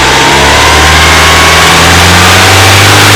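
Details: BMW E30 318is with M42B18 engine: harsh metallic timing chain rattle rising toward 3000 rpm, from worn cam sprockets and slack chain; worst at 2800 rpm, shifting to 3000 rpm after tensioner replacement; driven 50,000 km like this.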